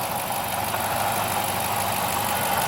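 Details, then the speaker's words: 2008 Dodge Charger at idle with a continuous gritty, gurgling metallic grind plus injector ticking; owner suspects a failing timing chain tensioner inside the timing cover, possibly a water pump or belt pulley; car not being driven. "you can hear the kind of grinding gurgling metal metallic noise you can also hear the injectors pulsing that tick tick tick tick tick but that grinding noise is not"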